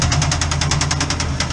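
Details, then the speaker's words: C10 pickup with a 307 V8, now fitted with mufflers: hard, sharp metallic knocking about eight to nine hits a second over the idle, loud and regular, heard at the engine bay; number eight piston hitting the cylinder head, smokes when started. "but now we got some mufflers on it and the number eight piston is hitting the head"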